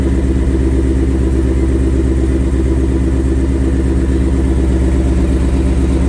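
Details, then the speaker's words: 2021 Ford Mustang GT with 7,800 miles, just after its first oil change, engine slightly cool: quick, even valvetrain ticking over a smooth idle. It is louder when hot and heard best at the driver's front wheel well. The owner believes it is a normal characteristic, pending a dealer check. "so okay so you probably heard uh i'm sure you heard the ticking it's not too bad uh of course the car is a little cool right now when the car is hot it takes a lot more it's much more prominent"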